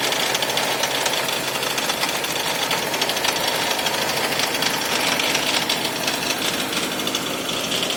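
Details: 2001 Toyota Camry with a severe rough idle: harsh, rapid hammering clatter with a shaky, uneven idle plus hiss and rattle, with the engine smoking and a burning smell noted before shutdown.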